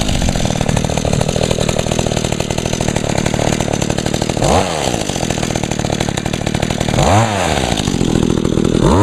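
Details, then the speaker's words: Echo two-stroke engine on 50:1 gas-oil mix with little fuel, started on choke after priming; steady, even high-pitched buzz with no surging or stumbling. Runs real good, normal running. "cool yep she runs real good"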